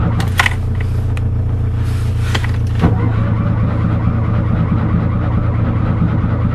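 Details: Fiat 126 cold-start attempt, unstarted since 18 October: a few clicks, then starter churns at a steady low rhythm, engine never catching; cranks but won't start, owner suspects spark plugs or ignition coil.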